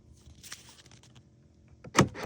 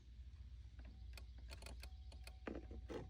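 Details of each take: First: Truck with power windows and locks dead on one door, key on. The lock actuator gives a quick double clunk only while a chafed ground wire in the door harness is squeezed together. Otherwise nothing works: a broken ground wire. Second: Truck door with no power, tested by jumping a fuse-panel wire to ground: sharp relay clicks over a low idle rumble plus the door-open warning tone, confirming the broken ground wire in the door boot is the fault.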